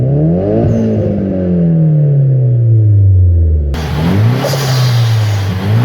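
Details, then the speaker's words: Nissan 200SX S14 being tested with new AliExpress injectors: revs climb steadily and smoothly to the rev cutoff and fall back. Previously it failed when revving; now the needle hangs at 4,500 rpm when the throttle is released, though the engine runs well. "it does go up in revs constantly and the cutoff comes"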